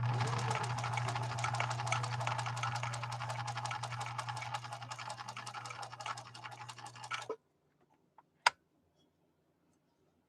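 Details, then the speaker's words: 1966 Husqvarna Viking 19E Special sewing a zigzag stitch through about six-ounce genuine cowhide: fast, even needle clatter with a steady motor hum that doesn't bog down, then stops; no hesitation, healthy machine. "and you notice there was no hesitation at all from the swedish beauty"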